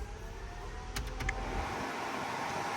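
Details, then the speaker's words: 1965 Ford F100 with LS engine, newly wired interior AC blower, compressor pressure-switch wire not yet run: soft, steady airy whoosh with a couple of brief clicks early on, smooth and even; normal blower operation. "we've got that blowing sure you can hear it but to finish that I've got to run a wire from here which is my pressure switch down to the compressor"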